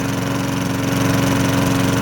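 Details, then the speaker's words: Curbside-rescued MTD mower, Tecumseh single-cylinder: steady, even drone at constant speed. The earlier hard metallic rapping noise has gone and it sounds like a normal mower; it is still on 0W-20 oil pending an oil change. "that hard metallic rapping noise could gone away sounds like a normal lawnmower now"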